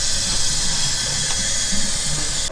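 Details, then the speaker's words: Engine leak-down test, engine off: steady loud air hiss escaping out the exhaust where the valve should be shut; exhaust valve not sealing, hoping no broken pistons. "yeah it's coming up the exhaust too where the valve's always shut all the yeah look at the back air should stay in the cylinder and you shouldn't hear any leaky"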